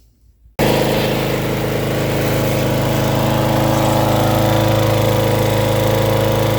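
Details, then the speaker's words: Lawn mower after exhaust port thread repair: fires and holds steady speed but sounds harsh and clattery, like running without oil; oil level is fine, owner wonders if it is just unused to the exhaust no longer leaking. "hella noisy though sounds like it's running with no oil in it check oil's all right I wonder if it's just because it's so used to the bleeding exhaust banging"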